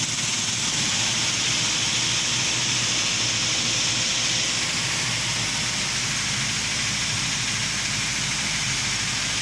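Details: UAZ Patriot engine at idle: loud hissy idle with a faint, fairly regular tapping at about three per second beneath the noise; engine knock.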